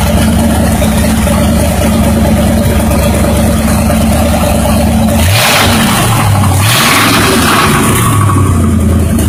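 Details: Buick 350 V8 revved up and down twice: dull low knock under the engine note following revs, lessening when that cylinder's spark is removed; rod knock from a worn rod bearing.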